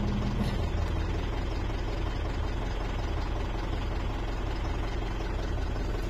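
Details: 2013 Mitsubishi Strada/Triton diesel, crank-no-start traced to faulty immobilizer antenna (codes U1504/B1707), running after antenna repaired with epoxy: steady low rumble with even, unhurried beat, nothing knocking or missing; idles normally.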